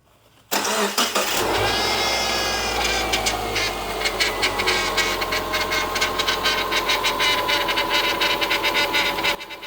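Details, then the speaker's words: After start-up, a faint steady whine sits over the idle of a 2011 Subaru Impreza Outback Sport power steering pump after the feed-hose O-ring was replaced. Air is still in the system; more fluid and turning the wheel to bleed it are needed. "So, the pump's still a little noisy. Um, I think we need to add a little bit more fluid and see if that uh helps quiet it down a little bit."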